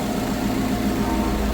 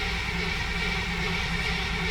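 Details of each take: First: Car running a Holley Sniper EFI with little tuning (TPS and IAC only) and a coolant leak: steady idle with a light, quick sewing-machine tick, owner says just the injectors being a little loud; normal injector ticking. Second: Car with Holley Sniper EFI after three years, temperature about 51, started after fuel prime and tightening a loose ground: low hum, engine fires with a brief loud surge and dies within two seconds; stall after start, cause unconfirmed, alternator also undercharging.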